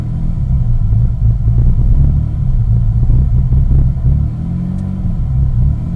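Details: 2001 Mitsubishi Eclipse GT petrol engine idles low and uneven at cold start, rumble wavering and stumbling; idles normally once warmed up.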